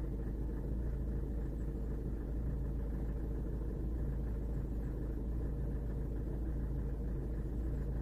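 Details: VW Golf Mk7 diesel before repair: deep steady idle rumble with faint uneven roughness, engine shake and rpm fluctuation; injector knock suspected, checked with common-rail diagnostic equipment.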